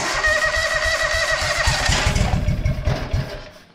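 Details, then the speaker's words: John Deere 425 mower after cleaning and repairs, new fuel line and fuel filter, first start in months: engine catches with uneven chuffing pulses for a few seconds then dies; probably fuel starvation from a cap left on. "it's wanting to run probably run a lot better if i didn't have this cap on here oops i better correct that"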